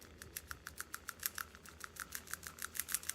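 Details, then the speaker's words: Honda (Accord 04-12 / CR-V 02-14 family) PCV valve shaken by hand after removal with a 17mm socket: light, slightly uneven clicks about three a second as the check ball rattles; old valve looked nearly new and still serviceable, new one moves more freely. "It's a new one. Much more free. But honestly, the old one wasn't bad either."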